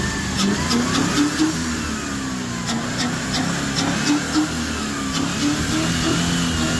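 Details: Warm Land Rover engine revving with a sharp, irregular top-end tap of about four a second; it knocks only when warm, not cold, and persisted after new tappets and replacing bent parts; the camshaft was found with heavy play and is almost certainly the cause.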